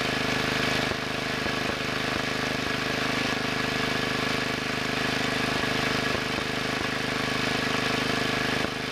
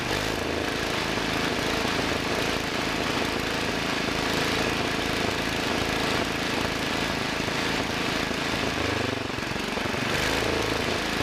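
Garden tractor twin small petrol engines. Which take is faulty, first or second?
second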